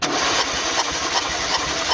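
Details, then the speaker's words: Renault Scenic that lost power with two cylinders misfiring, cranked during a compression test: loud puffs about every 0.37 s over a strong hiss; only 50 PSI, strong blow-by from a burnt head gasket. "A compressão é extremamente baixa. E uma coisa que vocês devem ter se atentado é que o barulho de assopro dele é bastante forte, né?"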